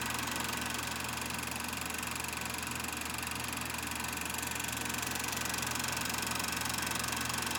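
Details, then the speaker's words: Kodak Pageant AV-126-TR 16mm sound movie projector with the switch on motor, running film after focusing: an even, rapid mechanical clatter at about three beats a second over a light whirr, with no catches or grinding; operating normally. "first you got to do is focus and then and then it's operating it's working then you can watch your film"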